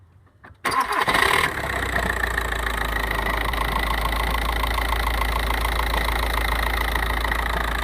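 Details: 1.9 TDI diesel starting and idling: loose rhythmic clatter about three per second over steady rumble; cause not identified.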